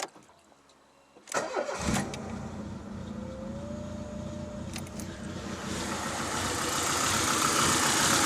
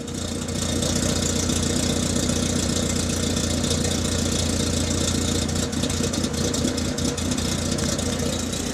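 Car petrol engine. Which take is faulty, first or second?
first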